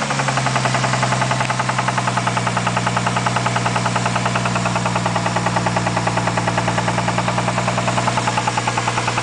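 A steady, heavy knock repeats about three times a second over the idle, hard and regular, pointing to a deep bottom-end knock. Cause suspected, not confirmed.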